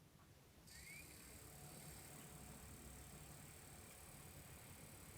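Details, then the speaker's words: Bose Lifestyle system with reported jammed CD mechanism, stuck showing 'Lifestyle system' at boot: quiet whir climbs as disc spins up, holds a few seconds, then the whole unit shuts off; fault undetermined. "and then it shuts off so that's one of the other weird things is that you turn it on it spins up and then it turns off so that's weird"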